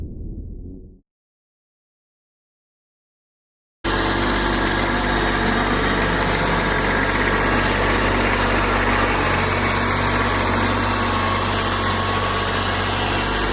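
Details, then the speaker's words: Kubota B2601 diesel tractor, first start after a month in cold weather, with block, oil and transmission heaters: after a short silence it settles into an even steady warm-up idle with no knocks or misses. "But it did start quicker than I thought it would, so we're going to let her warm up here a little bit and then get back at it."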